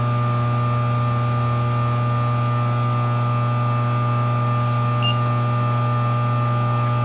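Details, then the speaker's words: Rotary phase converter powering a Frymaster FMH222 industrial electric fryer under load while heating: a loud, steady, deep electrical hum with no knocking or pitch wander; normal hum under load. "for the noise because i have a phase converter so when there's a loud when it's loaded it makes this noise and it's it's normal"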